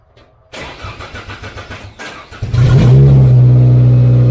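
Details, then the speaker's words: Race car start after fixing wiring and the switch, following dead batteries and no power; brisk even cranking about two seconds, fires cleanly, steady idle; charging just over 14 volts, alternator working. "Perfect. It was just a little bit over 14 volts, which tells me the alternator is working too. Okay, car starts like perfect, alternator works."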